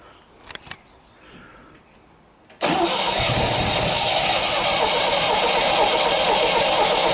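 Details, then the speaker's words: 1977 MGB first start in years, after rewiring; the carburetor still needs cleaning. A couple of clicks, then the engine catches at once and settles into a steady, even idle with no misses or knocks; it sounds pretty nice. "so anyway let's see how I like that it actually sounds pretty nice"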